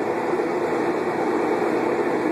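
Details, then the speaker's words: Kenmore Elite Oasis HE washing machine during spin cycle: steady, loud rushing roar like a jet engine taking off; otherwise washes normally; control board previously replaced under warranty for an F code error; cause unknown. "this is our Kenmore Elite Oasis H washing machine making a loud noise like a jet engine getting ready to take off as it"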